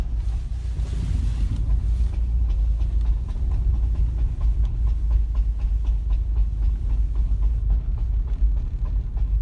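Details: 2010 Subaru WRX turning at low speed in first gear around a roundabout after freeway driving: repeated dull clunks/thuds over low cabin rumble, worse with more steering, also in second, neutral or coasting with clutch in; cause unknown.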